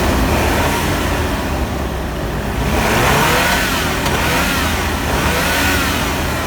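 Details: GMC truck 2.8L four-cylinder after timing chain repair, now firing on all cylinders after cylinder 3 misfire from a broken ignition coil; steady, even beat with no stumble or skipped firing.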